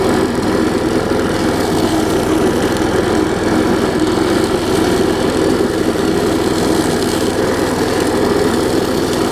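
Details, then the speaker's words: Large two-stroke weed trimmer fitted with a new carburetor and a fixed belt. An even, buzzy drone at steady speed with no misses or surging; it gets a little loud but nothing bad. Normal running. "so you hear it runs gets a little loud but nothing too bad"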